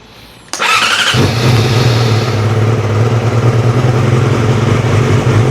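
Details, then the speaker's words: 2006 Yamaha R6 after throttle cable and throttle body work: hesitant start, sharp catch, then steady slightly uneven idle; slow to fire, probably just needed fuel through the line; throttle feels better. "Just needed to put a little bit of fuel through the line probably."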